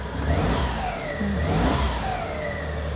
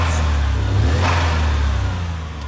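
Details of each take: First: Suzuki Cappuccino right after plug-and-play aftermarket ECU install: uneven, ragged, hesitant revving; ignition suspected advanced too much, not confirmed. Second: 63bhp turbo Suzuki Cappuccino after new plug-and-play ECU, exhaust, spark plugs, lambda sensor and air filter, bonnet open: crisp free-revving rise and fall, clean and steady with no misses or knocks, now sounding turbocharged; normal revving.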